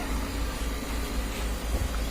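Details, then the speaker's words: Repaired Fukuda wall electric fan test run: steady low hum and soft even airflow with no rattle or scraping; motor runs quietly, though repairer suspects it will overheat within 8 hours. "Tahimik naman po yung makina pero may hinala po ako dito na mag-overheat to."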